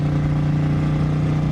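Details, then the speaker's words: 1955 Ford with 292 V8, straight-piped, unknown 2- or 3-speed Ford-O-Matic, at 70–80 mph on I-70 passing a semi: deep, steady roar under hard throttle, no knocks or misses; healthy pull. "Yeah, listen to that 292. This thing actually has some get up and go. It's not bad."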